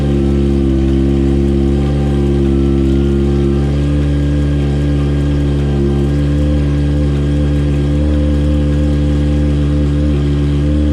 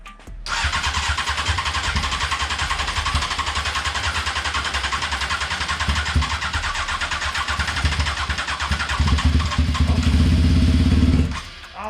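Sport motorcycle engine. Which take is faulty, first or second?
second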